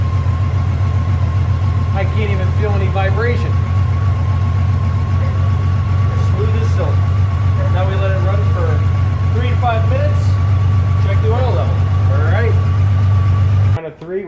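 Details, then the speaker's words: 2004 Honda Valkyrie Rune motorcycle just after an Amsoil 10W-40 oil change, first startup: deep, steady, even idle rumble with no stumbles or knocks; healthy. "I can hear it a little bit, but not much. Not much. Sit on this, you can't even feel it."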